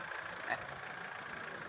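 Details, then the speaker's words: Mitsubishi Strada Triton GLX 4M40 diesel after nozzle repair for low power and black smoke: quiet, steady idle with even rhythm and nearly no vibration. Power is restored and smoke is fine on the road test. "mesinnya sudah sangat kering sudah mantap ini tidak ada apa getarannya sudah sangat minim ya nyaris tidak ada getaran suara kita setelah pengerjaan ya"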